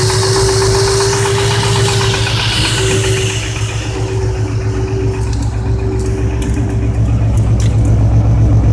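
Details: Ford 5.4 4V V8 idling with a persistent deep knock; timing chains, guides, tensioners, gears, 3V oil pump and Cobra pickup already replaced but knock remains. Owner suspects spun rod bearing.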